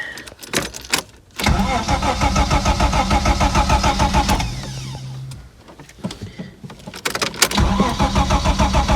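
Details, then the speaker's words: Ford Sierra Mk1 Estate 4x4 Ghia 2.8i: starter spins the engine evenly for a few seconds, stops, cranks again, never catching; cranks, won't start; owner tries brake clean, spark confirmed at king lead. "not starting now is it [Music] hmm that's interesting because i haven't touched anything"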